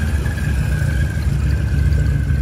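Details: Rebuilt VW Mk1 Rabbit engine idling after re-torquing bearing caps with oil pan off (cheap torque wrench blamed); steady low idle, even smooth beat, no knocking; normal healthy idle, owner still wary.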